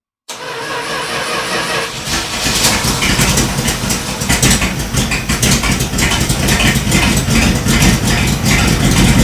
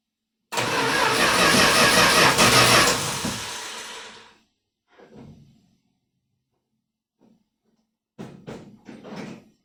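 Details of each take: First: 1978 Dodge Power Wagon after an oil change, weak battery, started with a jump box: brief crank, catches and settles into a steady, even idle with a few throttle blips; starts and runs normally. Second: 1978 Dodge Power Wagon being restarted after an oil change from old, long-parked oil: a few seconds of labored slow cranking that fades away without catching; owner says the battery is dying and will use a jump box.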